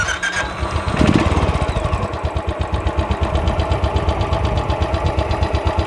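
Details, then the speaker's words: Used Royal Enfield Bullet starting and idling: settles into a slow, even thump about three beats a second with no valve ticking from the head or bottom-end knock; healthy, normal idle. "बाकी हा जो इंजिनचा sound आहे तो एकदम normal आहे तर तो तुम्ही रेकॉर्ड करून ठेवा जेणेकरून तुम्हाला कम्पेअर करता येईल"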